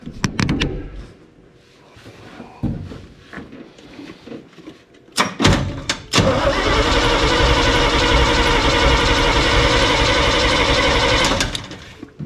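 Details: Crusty old snow plow truck, fuel tank appears bone dry, unknown which tank is selected, cranked while checking for fuel in a test bottle: steady starter churn about four beats a second for six seconds, never catches; no fuel delivery.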